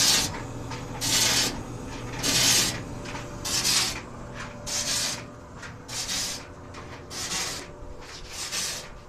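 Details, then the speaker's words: White Westinghouse clothes dryer running with an empty drum before drum bearing repairs; dry rasping scrape about once every second and a bit, rising and fading each revolution; rubbing noise, source unconfirmed. "okay so it's still making that noise i think i have a really good idea what it is"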